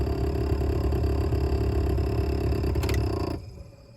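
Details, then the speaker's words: 1998-2002 Oldsmobile Intrigue HVAC blower motor before replacement, making a lot of noise; rough rumbling growl with fast uneven flutter, then dying away; worn blower motor bearings. "Yeah, you'd rather not have your blower motor sounding like that, right?"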